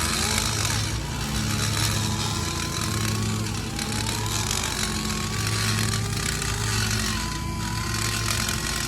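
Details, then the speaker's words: Die grinder with a carbide burr porting a Holley Strip Dominator intake for a 351 Cleveland, cutting lubricated with transmission fluid: high wavering whine over a rough rattling cut; the burr chatters because it runs too fast. "You hear it chattering, that's a little too fast. We gotta kind of slow it down."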